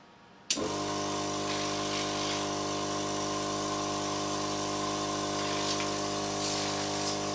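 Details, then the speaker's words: 12-volt Thomas-type electric power brake vacuum pump for an electric car conversion, running with no muffler and camera auto gain off: steady electric whirr with even, constant pitch, no knocking or rattle. "I'll set the camera's audio automatic gain control off so the comparisons will be accurate relative to one another here is no muffler for reference"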